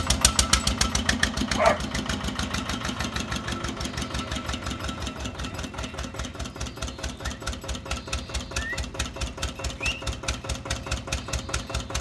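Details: Old Winget one-ton dumper, long-stored single-cylinder Lister PH1: slow, loud chuffing about two beats a second, uneven and gassy, rattly exhaust, low power. Owner suspects blow-by from badly worn rings; filters long unserviced.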